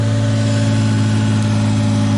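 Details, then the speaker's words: Truck with a VQ engine swap and push-style internal slave (T-56 type), idling with clutch pressed: droning hum with fixed tones, suspected gearbox-side; the owner feared needing a new transmission but says it's quieter than before. "This is with the clutch in. That's with the clutch out. Shooter makes a little bit of a vibration sound. hear that? But I'll fix that. But yeah, she still makes a little bit of a sound."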